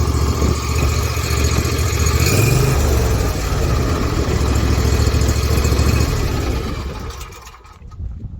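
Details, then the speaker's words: Ferris IS500Z zero-turn mower, about 14 years old, after crankcase and PTO seal replacement, oil drain hose and valve lash adjustment: small engine runs smooth and steady with a brief rev, then shuts down cleanly; no shaking, normal idle. "i can tell you that it runs just fine uh actually mine if i go and start it up real quick so everyone sees it a lot of work but he was very happy [Music] no more shaking no more oil leaks"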